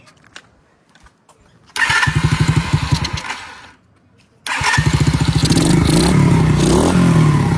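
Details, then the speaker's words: 2021 Kayo 70cc kids dirt bike, after carburetor teardown and cleaning: fires on a little choke with a quick even putter, dies, restarts and settles to a steady idle with light revs. Now running normally. "It wants to run. Could give her some choke. There you go, boys and girls."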